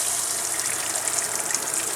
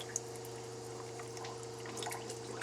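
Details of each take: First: Camper shower after fix (new Surflo 4008 pump, inline strainer): strong steady water hiss with no sputter or surging, where flow was barely coming out before. Normal full-pressure flow. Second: Camper shower with new Surflo 4008 pump running: thin uneven trickle with faint drips over a steady pump hum. Low water pressure.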